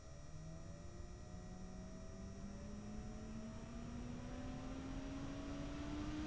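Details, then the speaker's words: PC case fan (apparently a Nidec Gentle Typhoon variant, PWM) on a Thermalright HR-02 Macho CPU cooler, speed ramped up and down, system with AMD Radeon R9 Fury X: smooth whoosh climbing steadily in pitch, no ticking or rattle; fan healthy. "first I'll start by ring the fan speed up and down so you can get an idea of the fan noise profile"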